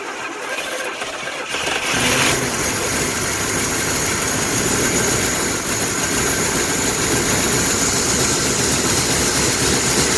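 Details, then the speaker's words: 1982 Pontiac Firebird 5.0 V8 first run after 22 years stored, following a carburetor rebuild, new fuel pump, plugs and wires; after two seconds of quiet it catches and settles into a steady, raspy, hissy idle with dirt blowing out. "oh they ran man there's all kinds of dirt was coming out of it"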